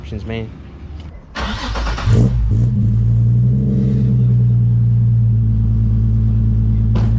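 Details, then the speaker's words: Nissan 350Z that had a check engine light and went into limp mode, after a rubber grommet was shimmed as the fix: engine cranks, catches and settles into a smooth, even idle, no ticks or misses; idle sounds normal. "man sounds normal [Music] all right so the idol is normal everything else seems normal even that sounds normal"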